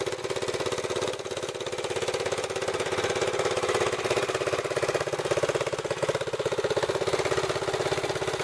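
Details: Racing four-wheeler small single-cylinder engine on clean fuel after tank full of water was drained, galvanized straight-pipe exhaust: rapid raspy, fairly even exhaust pulses about three per second; normal running.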